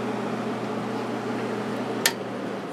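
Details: 1996 Holmes 5200 BTU window air conditioner made by WCI, Macmillan fan motor running on high with compressor shut off: steady low hum and even airy blow, no rattles or scraping; current draw as rated; normal, quiet fan operation.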